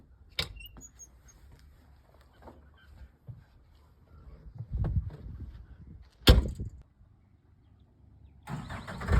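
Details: John Deere 324G skid steer diesel, started after a hydraulic hose replacement and oil top-up: a few handling clunks, then it cranks and catches with a firm rumble; appears to start normally.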